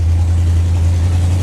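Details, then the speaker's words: 1975 Chevy van, V8 carbureted engine: steady, even low idle rumble with no stumbles or hunting after start. Carburetor running better; owner believes the earlier trouble was water in the gas tank and has been adding fresh fuel. Normal idle. "The carburetor has been doing a lot better. I think I said that already, but I really think it was just water in the gas tank and I've been uh putting fresh fuel in it"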